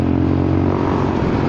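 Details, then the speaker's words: Honda Forza 300 scooter at steady throttle: loud, hollow, boomy drone like a longtail boat motor; the muffler baffle, which used to sit low and kept the sound soft, has slipped loose and moved up; rider plans to fit a larger insert. "แต่ว่าตอนที่ใช้มามันอยู่ด้านล่างนะมันไม่ขึ้นมาข้างบนเสียงเลยนุ่ม"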